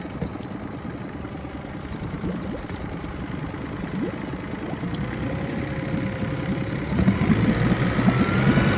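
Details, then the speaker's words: 2006 Mercury 25 HP EFI four-stroke outboard at a slightly raised fast idle after replacing a deteriorated fuel line and the tank; it holds steady without surging or dying, running normally. "the motor is doing what it's supposed to and he's happy I'll run the fast idle up a little bit now"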